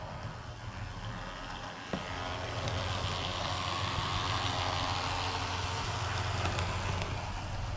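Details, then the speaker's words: Walthers model locomotive back from a shop with a Go pack fitted, sent off for unusual noises: steady low buzzing drone with a rough rattly edge, like a weed eater, persists; its sibling runs quiet. Cause not pinned down. "And that sounds still like it's got a weed eater running in the back seat of it."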